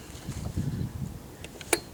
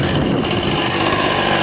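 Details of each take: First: Old Ryobi RSV 3100e two-stroke leaf blower, first start after reassembly, running without tank: sputtering, uneven bursts with raspy crackle as it revs; exhaust leak because the muffler was reassembled incorrectly. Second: Old Ryobi RSV 3100e two-stroke leaf blower, grandfather's, running after three spark plug changes, carb adjustment and four carb membrane changes: high buzzy note holding steady fast revs without stumbling; running normally.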